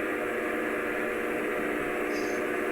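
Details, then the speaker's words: Small backup DC water pump in a decade-old rainwater filtration system, restarted after bleeding air with suction and discharge open, drawing 3.6–3.7 A: even motor hum with steady hiss of moving water and tank hissing, no surging or rattle; running properly. "Sounds a little better. Slightly. 3.6 amps. 3.7. It's moving some kind of water. I can hear the tank hissing."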